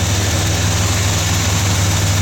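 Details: 1978 Chevy K30 Scottsdale 350ci V8, first start in 4 years after sitting, alternator charging 15 volts; deep even burble, no misses, knocks or ticks. Normal idle.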